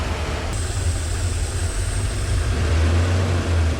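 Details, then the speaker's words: Porsche 928 M28/12 4.7 L 300 hp overhead-cam K-Jetronic V8, run after sitting 20 years, idling at 850 rpm: deep, steady, even rumble with no misses or hunting; normal warm idle. "W idle's perfect 850 RPM so if you know anybody that needs a 4.7 L 300 horsepower overhead cam forsche 928 motor there it is running like a pearl"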